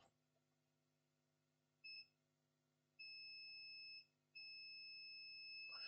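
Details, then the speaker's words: Acer Aspire E1-571 laptop with no power, multimeter continuity test across the input MOSFET: clean, high-pitched beeps in bursts from drain to source show the first input MOSFET is shorted; it was later replaced. "But from the on look of things, this first MOSFET is gone. The first MOSFET is shorted."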